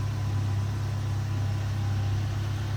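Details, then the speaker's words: 2010 Ford Ranger idling after fuel pump replacement; it would not start at all before. Even, low steady hum with no misses, knocks or flutter; smooth, healthy idle. "now I'll start it up one more time for you guys running roast food now it wasn't starting before at all"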